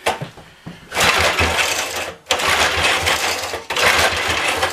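Short bursts of quick chattering cranking, each about a second, with pauses between; the engine turns over but never catches.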